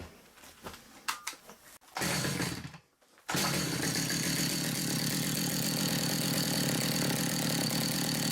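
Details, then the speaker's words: Stihl MS200T chainsaw in for broken centrifugal clutch springs, run up without chain; revs to a steady, even high buzz with no rattle or slipping as the clutch shoe moves out and grabs the drum cleanly. "So you can see that moved out, grabbed hold of that and spun it round."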